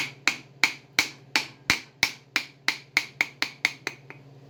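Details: Bridgeport mill 1HP 3-phase motor before bearing replacement: low steady hum with loud sharp clicks about three a second, uneven in spacing, from a bad motor bearing.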